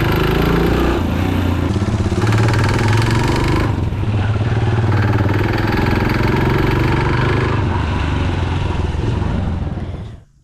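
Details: Yamaha YB-series motorcycle: rapid, uneven metallic knocking over the exhaust, starting about 1 km after filling up at a fuel station. The owner blames bad fuel.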